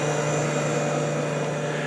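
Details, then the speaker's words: Kenmore dehumidifier reassembled after cleaning and oiling of the motor: steady, even hum with a constant low tone and no rattle or wobble; running smoothly. "oiled the motor and it sounds great all right very smoothly not so many vibrations and no rivaling either"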